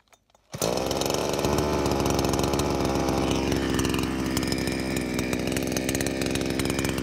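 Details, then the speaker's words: Nakayama PC 4500 petrol chainsaw, 45 cc, 2.49 hp, 46 cm bar, restarted warm without choke, cutting a log over 13 cm diameter; sharp pull then strong steady high buzz holding under load without bogging; normal running. "Εδώ βλέπουμε χωρίς κανένα πρόβλημα, παιδιά. Το έχει ξεσκίσει, όχι απλά το έχει κόψει."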